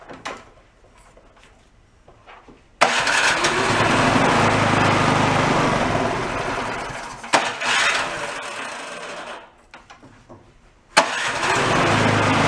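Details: Garage-sale two-stage snowblower small engine on first start for the season, on choke with a squirt of fuel: it runs unsteady and surging, dies, then restarts rough. A white speck of debris was found blocking the carburetor jet.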